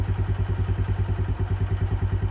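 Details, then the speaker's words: Keeway 125cc with Suzuki GN/GS engine, running after a battery replacement, still cold: even, steady single-cylinder thump at a fast cold idle, no knocks or misses; owner says not sluggish but could use a warm-up. Normal cold idle. "boat's still cold so yeah it's I wouldn't say sluggish but it could probably do have a nice warm"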